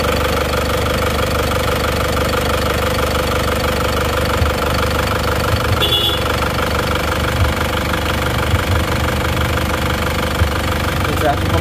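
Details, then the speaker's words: Isuzu Panther diesel after rebuild, no more smoke from the oil filler: steady, even idle clatter with a smooth low thrum and no misses or odd knocks; running healthy. "mantap suaranya pun halus ya ini siap lagi"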